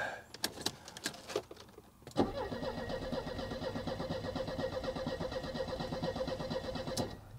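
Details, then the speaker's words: Cheap old auction Mercedes-Benz in neutral: starter churns at an even beat for about five seconds but engine never fires; crank no-start because there is no gas in it. "kidding me we just need gas"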